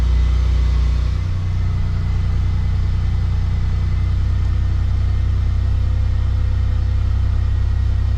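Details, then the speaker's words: Warm petrol engine (temperature gauge near halfway) idling with a low hum that creeps up unprompted from ~750 to 1500 rpm with no throttle input, after sitting two days; throttle position sensor fault, code P0121. "And this idle is just going to go up by itself without me pressing the gas. Y'all could kind of hear the idle going up already."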